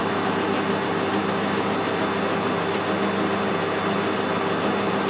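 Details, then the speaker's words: Lathe lead screw engaged with half nuts after power feed reassembly, camera microphone: smooth even hum and steady whirring, no clanks or grinding, definitely much quieter than before repair; normal lead screw running. "So if I engage the lead screw, that's in neutral. Engage the half nuts, and they're working fine as well. Definitely a lot quieter than it was."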